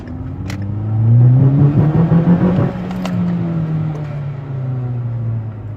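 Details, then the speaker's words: 2010 Ford Focus, passenger-side intermediate shaft, accelerating 35 to 45 mph and turning right: low droning hum rising with road speed plus faint wavering grinding/vibration growl from front right; worn intermediate shaft support bearing. "pretty much the noise comes specifically from the front right but it sounds kind of like a grinding or a vibration noise"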